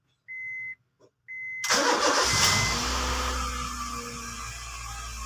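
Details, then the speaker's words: Honda Jazz that had a hard-starting problem, after new spark plugs were fitted: dash chimes, one short crank, the engine catches at once, revs briefly and settles to an even idle. Normal quick start. "guys oh One Click na siya Hwag magpapahuli ah one click na siya"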